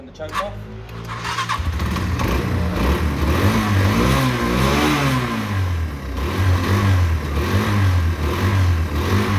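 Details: Derbi 125, a former non-runner, after a quick carb service and fuel tank clean: it catches quickly after a short crank, then revs up and down cleanly with an even beat; it pulls freely and is healthy.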